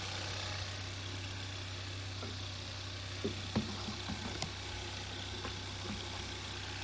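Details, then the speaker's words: 2012 Hyundai Veloster 1.6 turbo G4FJ, manual, first start after engine teardown and reassembly to fix a knocking noise: quiet, even idle with a few light background clicks and no knock; the engine sounds healthy. "start it starts and I think there's no knocking noise"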